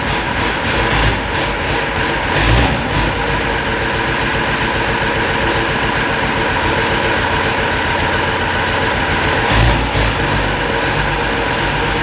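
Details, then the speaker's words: Unimog 416 diesel after repriming the fuel system, lift pump suspected of not lifting fuel on its own, high idle held by pedal since the hand throttle is broken: steady even clatter with no misses or knocks; running cleanly. "Even though the hand throttle is broken, I managed to push the pedal down far enough to hold this high idle."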